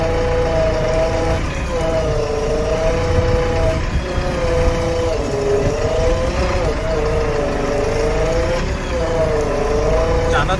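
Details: JCB 3DX backhoe: wavering mid-pitched whine rising and falling every couple of seconds over engine rumble; abnormal hydraulic pump sound.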